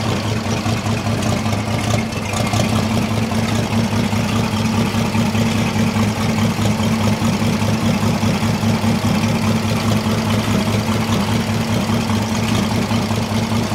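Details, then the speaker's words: Caterpillar D2 crawler tractor repowered with a Holden 202 petrol six, started after about 12 years with two-stroke oil added to the fuel: smooth, steady idle with no tapping or misfire. "12 years that's not bad listen to that I don't even think ever run that good when we put it in here"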